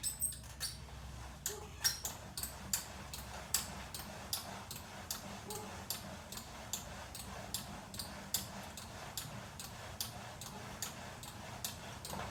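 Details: Replacement VersaClimber post, newly set up: sharp regular squeak on every stroke, about two per second, from moving parts, same as first unit; cause not found.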